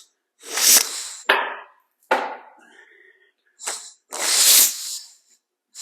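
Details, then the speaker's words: Lincoln Speedster engine, freed of 8 stuck valves, turned by hand without a starter, plugs in and primer cups open, transmission fluid in cylinders: sharp hissing puffs one after another; good compression. "You should be able to hear it if it's got compression, but it'd be better if I had a starter. I hear it."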